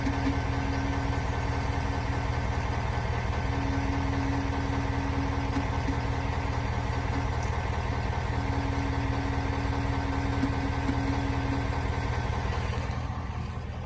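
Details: 2021 Ford Super Duty F450 Powerstroke diesel idling with a constant thin whine over the clatter, present since new; dealer suspects the fuel lift pump, but Ford calls it normal.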